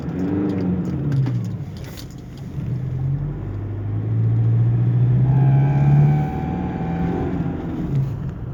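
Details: Automatic 2006 Toyota SW4 diesel: rumble rises with throttle and a thin whistle climbs over it on acceleration, boost leaking from a loose intercooler hose clamp.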